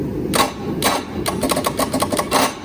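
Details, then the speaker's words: Starboard 454 boat engine: sharp metallic clicks and brief clunks in bursts with no cranking; starter, worn by repeated restarts after short runs and dying, suspected dead rather than flywheel or flex plate. "either the starters gave up on me or it shredded by a flywheel or flex plate whatever back there but you can hear I doubt that plate is the problem I don't think the starter is engaging"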